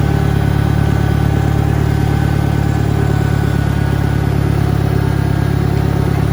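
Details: 1963 John Deere 1010 tractor, original and properly maintained, at 1,000 rpm on a backyard lap; steady, even run with a mild gear hum; normal transmission gear noise.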